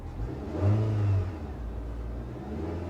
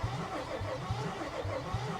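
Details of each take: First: Car at idle with a couple of light revs: smooth idle and two clean, brief throttle blips that rise and settle evenly, no knocks or misses; normal rev. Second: Salvage W221 Mercedes S550, oil level at the very bottom of the dipstick, cranked on a jump pack: starter drags the engine over with weak, irregular puffs and something pouring; compression sounds very bad, cause unconfirmed; uneven cranking.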